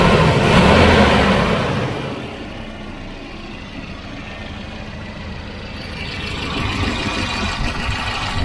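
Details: Volvo redblock B230 engine in a 240: smooth sewing-machine idle, even soft beat about 207 per minute, no knocks or slaps; healthy quiet motor.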